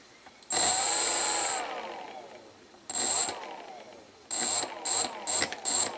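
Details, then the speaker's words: RC ESC after its transistors were replaced and better heatsinked: at low throttle the motor jitters with stuttering high whiny chirps and sweeping tones; it runs smoother at higher throttle and smooth on a different ESC; cause not confirmed. "when I turn it on our low trottle this is what happens the motor jitters"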